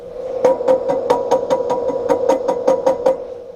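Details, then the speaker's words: Carver C-19 with vacuum tubes, intermittent fault; tapping produces ringing tone in output, microphonic noise persists even with tubes removed, so the tubes are not the cause. "it is actually microphonic so you would think that the problem is that the vacuum tubes have gone microphonic"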